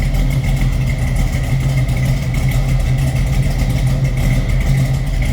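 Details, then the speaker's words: 1972 Chevrolet Camaro SS V8 after cold start: deep, even, lumpy burble at idle with no ticks or knocks; healthy-sounding engine. "Car will definitely turn some heads the way it looks and the way it sounds."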